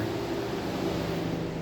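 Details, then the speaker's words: Chevy/GM vehicle with stored P0128 thermostat code, no check engine light, engine shut off: steady whooshing cooling fan roar with faint hum keeps running on high; clearing the code shows whether it stops, thermostat replacement suggested. "what you want to do is clear the code and if your fan shuts off that's why your Fan's running full boore cuz I'll shut this I'll shut this car off and you can still hear the fan out"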